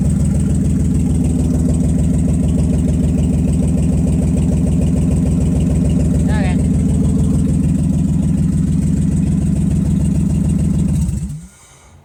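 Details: Nissan Z31 after a full fuel injector and fuel rail rebuild, first start with exhaust leaks: steady idle with an uneven, stumbling pulse about every third of a second, then shutdown; misfire persists, cause not yet found.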